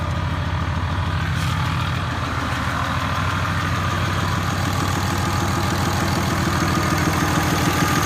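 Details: 6.7 Cummins diesel after new head gasket, ARP studs, reused exhaust manifold gaskets, valve lash .010 intake .020–.022 exhaust: steady tick about three a second at idle; valve lash or exhaust leak suspected.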